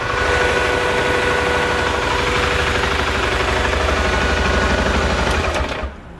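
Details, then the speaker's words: 2014 BMW G 650 GS single-cylinder motorcycle after oil and filter change, run until hot: even thump about three beats a second with steady radiator fan whir as the fan kicks on at temperature, then shutdown; normal warm idle. "Once it's hot, and you know that when the fans kick on, when you hear the fans, you know it's up to temperature."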